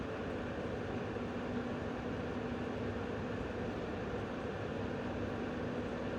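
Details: MSI RTX 5090 Gaming X Trio graphics card under benchmark load with manual fan tuning at around 50–60% fan speed; smooth, even airy rush with a faint low hum and no rattle or ticking. Normal, healthy fan noise.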